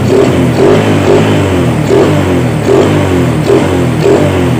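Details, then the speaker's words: Yamaha Vega R single-cylinder motorcycle after carburetor service and refit: steady, even idle with no misses or hunting; engine running normally again. "jadi motor sudah normal yang teman-teman bisa teman-teman dengarkan ini kondisi sedang septentrion"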